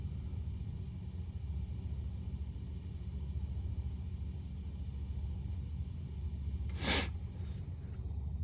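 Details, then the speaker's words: Refrigeration cooler, leak detector reading about 400,000 ppm: steady high-pitched hiss of escaping refrigerant over a low equipment hum, continuous and unchanging; a big leak somewhere in the unit, exact spot not yet found. "so I got a leak somewhere in here I got to dig through to see where it's at so it's going to kind of be tricky"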